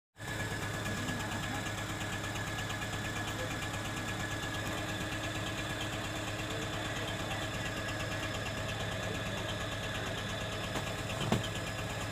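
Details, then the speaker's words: Honda Civic Hybrid with codes P1024 valve pause system sticking on and P0300 random misfire; idling engine with a loud, busy, uneven ticking clatter over the hum, louder when accelerating. Valvetrain rocker arm noise. "दोस्तों यह Honda reborn गाड़ी है गाड़ी की आवाज़ आपने सुनी है की आईडी पर जब घड़ी होती है गाड़ी तब भी काफी आवाज़ ए रही होती इंजन में से और जब एक्सीडेंट करते हैं तो जो आवाज़ है इंजन की ये और भी बढ़ जाती है"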